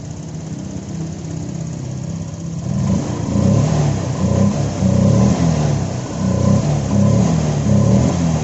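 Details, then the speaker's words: Honda Vario 125 FI scooter after freeing a stiff, stuck part that caused fluctuating idle and slow return: idles low and steady, blipped a few times, drops back cleanly, normal. "Putaran idle-nya sekarang sudah bagus, kan? Sebelumnya, putaran mesinnya terus berfluktuasi, tiba-tiba naik tinggi, lalu rendah, lalu tinggi lagi, lalu rendah lagi, persis seperti itu."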